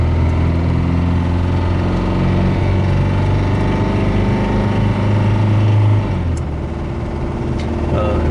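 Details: Mitsubishi Galant at operating temperature under throttle: rough, uneven low thumping engine knock; the engine is judged near the end of its life and not worth fixing; the failing bearing is not identified. Cause suspected, not confirmed.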